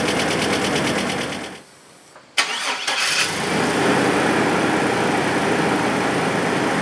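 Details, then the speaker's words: Junk Chevrolet S10 after GUNK motor flush removed heavy oil-pan sludge (from short trips): short crank, catches and settles into even, steady idle; earlier light tick (first thought exhaust leak) now gone, no engine noise, healthy. "but yeah I guess I mean I'm pretty impressed like I said I don't engine noise whatsoever coming out of this thing now"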